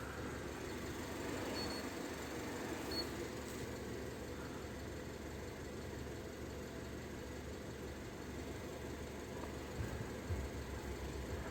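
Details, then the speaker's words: Peugeot 5008 2019, 1.6 THP 16v turbo petrol, just started, warming up: steady even idle hum, no knocks, rattles or ticking. Owner had complained of noise at morning start; oil check valve behind head suspected. "fala pessoal aí ó Peugeot 5008 já tá funcionando vamos deixando aquecer aqui"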